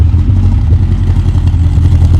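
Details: Rover 416 GTi non-runner (previously ran then cut out) started after a new part fitted, cold at first start: low, uneven, lumpy stumbling idle with odd clatter, misfire at idle; later ran nicely once warmed up.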